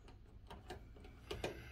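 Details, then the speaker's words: Atwood RV stove piezo igniter, after replacing the igniter wires (two burners had not been igniting): sharp separate clicks, each followed by a soft whoosh of catching flame; all burners now light, normal ignition. "And 3. There we go. Just that simple. Replace those out. Now they all work."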